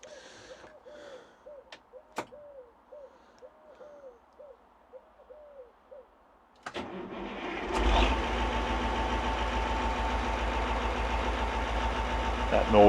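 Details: Ford FW30 tractor diesel: quiet at first with faint bird hoots, then the engine catches at about seven seconds and settles into a steady, even idle; normal start and idle.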